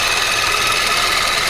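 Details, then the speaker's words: 2004 Chevy Cavalier after an engine swap, heard from outside at idle: a faint, quick tick at the front of the engine; owner suspects an exhaust not tightened enough or the timing chain, unconfirmed. "on the outside you can hear a tick kind of around the front of the engine"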